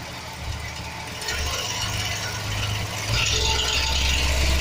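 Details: 2007 Chevy Express 1500 4.3 V6: steady idle with quick metallic rattle about four per second from bellhousing; bad starter motor drive gear chattering against flexplate.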